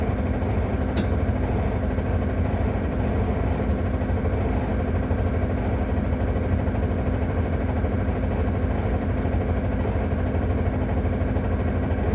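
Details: Solaris Urbino 18 bus idling with the handbrake on: loud, steady diesel idle with a coarse, uneven rattle and no change in speed. The cause of the rattle is unknown.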